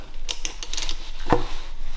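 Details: Mitsubishi Evolution III 4G63T, engine off with the crank rotated slowly by hand: one sharp metallic clunk from the bottom end; a rod found moving, spun rod bearing, engine appeared neglected.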